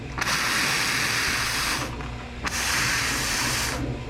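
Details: Air compressor tank with newly fitted remote pull-cord drain valve: two strong hissing blasts about 1.5 s each, sputtering as dirty water spits out; drain opening and venting properly.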